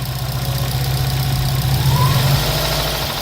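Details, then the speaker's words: Subaru WRX with swapped JDM engine, idling after refitting the original oil pan and pickup tube: soft, fairly regular light tapping under the exhaust, still present but much quieter than before; owner blames the previous pan; engine knock at idle. "every single engine that we have tried is with this on there and it does exactly the same thing having a rock noise"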